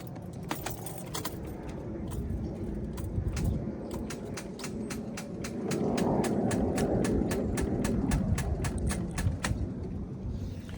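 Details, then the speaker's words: Car with battery surface charge too low to start: rapid even clicking, about four a second, no cranking when key turned; needs a jump and a new battery. Starter clicking from weak battery. "and as you can hear it'll make that clicking noise or sometimes it does absolutely nothing with that being said she needs a jump and then she needs to get herself a new battery"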